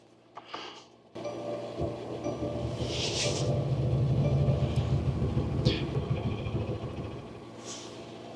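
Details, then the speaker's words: Diesel Mercedes Sprinter van at -7°F in the Colorado mountains with a dead battery, on a jump starter after repeated glow plug cycles: heavy, uneven chugging about three pulses a second with surging rumble, cranking hard, nearly catching but not running. "It's trying. Try one more time. It sounds like it's getting closer. It's got to just warm up."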